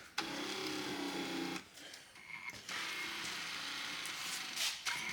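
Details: 1979 Mercury Cougar XR7 power seat track on bench power source after cleaning and lubing: steady whirring motor hum with gear chatter, pausing and restarting as seat moves; runs freely and evenly, seat motor healthy.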